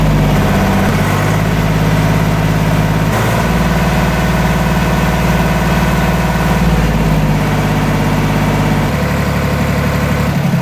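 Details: Deutz D4506 tractor diesel test run after running out of fuel, fuel filter swap and injector pump bleeding: deep, even chug holding a steady idle with no misses or knocks; normal diesel idle.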